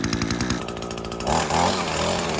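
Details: Echo SRM-225 two-stroke string trimmer, bought non-running, now cutting grass: buzz picks up cleanly and holds strong high revs under load without bogging; runs properly.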